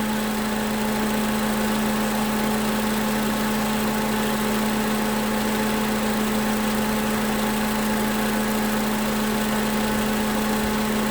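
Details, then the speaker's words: 2011 Toyota Camry, 2AR-FE engine, after lifter and rocker arm replacement, warmed until the fan comes on: smooth, even idle after revving to about 1600 rpm and releasing, no stumble, knocks, ticks or misses; coolant reached 230 °F. "Alright, so as you heard, brought up to 1500. Well, I got up to like 1600. Let it go, and it didn't stumble at all."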